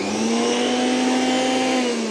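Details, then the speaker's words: Milex Nutri1000 1000W blender (MNM001), repaired after smoking, grinding and not spinning: motor spins up on pulse with a smooth steady hum, no grinding, easing off at the end. "there's no grinding the problem is not resolved because this is spinning away from this plastic platform here"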